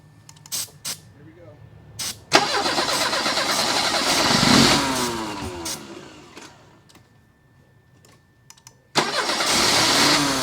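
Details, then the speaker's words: Mercedes 190E whose cheap new fuel pump stopped working, after a clogged tank fuel strainer was found earlier. It cranks, fires and revs briefly, fades and dies, then catches again, running only on sprayed starter fluid; fuel pump failure. "anked the engine, but this super cheap $29 fuel pump stopped working. So we decided to go back and spray starter fluid again."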